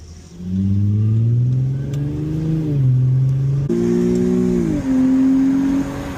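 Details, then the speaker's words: Infiniti G25 (VQ25HR) with new Injen intake SP1961P, hot 94–95°F day, ECU still adapting: throaty engine rising and falling with throttle through the gears, strong intake roar, smooth clean pull; normal running with louder induction noise. "Oh yeah, it has way more induction noise, way more. Sounds super throaty, you know, and obviously the computer has got to adjust, so I don't expect it to be at the top of its game right now, especially with the weather."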